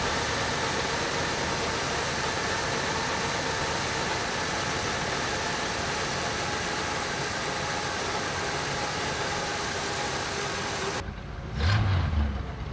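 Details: 1965 Chevrolet Impala, first run after 20 years sitting, timing just set to about 30–32 degrees total with vacuum advance reconnected: steady, even idle, no misses, knocks or hunting for about ten seconds, then handling noise; engine getting a little warm, sounds healthy.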